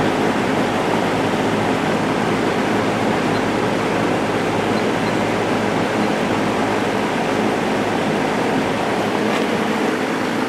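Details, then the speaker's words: JCPenney Lakewood 9711 box fan with a 3.1 A GE motor, regularly oiled and just out of attic storage, on high: strong, steady rush of air with an even tone, no ticking or rubbing. "this is a really powerful fan"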